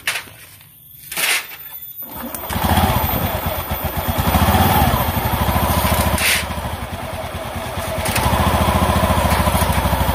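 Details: Honda Beat ESP scooter that would not start on the starter, never serviced since purchase, after repair: starter catches after a couple of seconds, then steady even putter with small throttle blips; idles normally.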